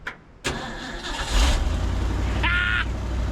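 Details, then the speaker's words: Abandoned 1950s Ford F5 tow truck restart test after reviving it: the starter turns briefly, the engine catches quickly and settles into a low steady idle, a normal start and idle. "you know the question is not will it run it's will it run and restart"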